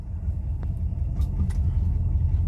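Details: Rolls-Royce Silver Shadow II automatic, long stood in a field, test drive after carburettor cleaning and new spark plugs: steady deep rumble pulling off in reverse with no stumble or cut-out; no longer stalling, normal running.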